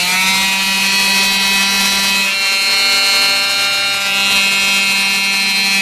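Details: Black and Decker orbital palm sander after repair of too-high resistance from bad wiring and loose connections, now soldered: steady high buzz at a constant pitch with no stumbles or rattles for six seconds; normal running with no burning smell.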